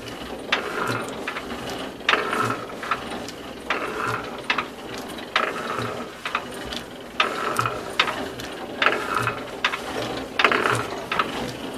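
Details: National DSH 1 single-cylinder boat diesel (1945) running: sharp ratchet-like clacks, unheard under throttle but very loud when easing off; owner rules out crankshaft, conrod, piston pin play and suspects camshaft or fuel cam area; pushrods fine, runs well.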